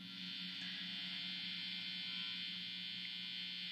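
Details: Amp on the clean channel, with new guitar strings and cable, no playing: steady bright hiss over a low constant hum; the buzz appears once the guitar's tone control is turned up.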